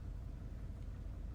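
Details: Petrol engine idles with a low, uneven, lumpy beat while a cylinder's injector is disabled through the scan tool's active test, cutting cylinders one by one to find the source of a misfire.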